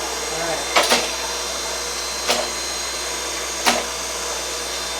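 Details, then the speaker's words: Reid 2-B surface grinder power feed with new motor: steady hum with a sharp clack about every 1.5 seconds as the table traverses, now moving left as it should; working normally. "so now I want this table to move towards me to the left yeah it does that's what it's supposed to do"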